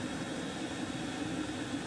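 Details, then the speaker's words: Chinese diesel heater shutdown after full-power soot burn-off: fuel cut, glow plug back on to burn residuals, fan slowing; steady airy whoosh over a faint hum easing off evenly with no rattles, normal shutdown purge and fan run-down. "and there you see it flashes off and you'll see the glow plug symbols come back on because it's cutting the fuel out you can hear the fan slowing down"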